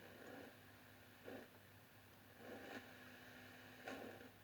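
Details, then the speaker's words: Heathkit T-3 tube signal tracer: steady low hum with short rough crackle bursts only while turning the volume potentiometer, not during operation; scratchy pot left original. "crackling actually happens only when you turn the potentiometer and not during operation. So I won't modify this unit."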